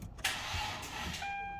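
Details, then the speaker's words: Hyundai Genesis 3.8L, first start-up attempt after an engine swap: a brief, sluggish, weak crank with no firing; the battery is weak and the starter solenoid is judged weak. "Yeah, it's pretty weak. The battery is weak. It will spin."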